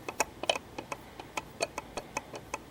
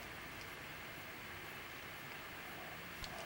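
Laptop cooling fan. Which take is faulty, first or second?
first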